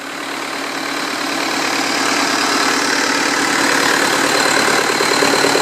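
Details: 2006 Cummins 4.5B diesel just after rebuild: steady, even idle clatter of about three beats a second with no knock or miss; normal healthy idle.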